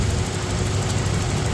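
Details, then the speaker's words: 1994 Toyota pickup V6 with 142 original miles, after a distributor fault, new plug wires, spark plugs and coil, fixing a no-start after nearly 5 years sitting: steady, even low idle rumble with no misses, knocks or stumbles; healthy. "motor muy bueno con 142 millas originales para este motor se escucha muy finito"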